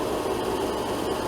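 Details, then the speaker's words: RV window air conditioner on max cool, run from solar and batteries (about 13.1–13.2 V, 340 W solar input) on a near-90°F day: an even airy whoosh from the blower fan only, with no low compressor hum. The compressor has not kicked on yet. "I'm not sure if it's uh I don't think the compressor's kicked on yet I don't hear it running I just hear the fan"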